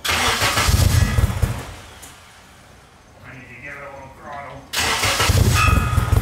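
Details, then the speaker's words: K24-swapped turbo Nissan Cefiro, timing no longer locked at zero, heard from the rear of the car: low, even, fairly quiet rumble with no misses or knocks. Running solid with the tune barely touched. "that's a success well i think it's safe to say we're probably not gonna need that silencer for the exhaust this thing's honestly pretty quiet"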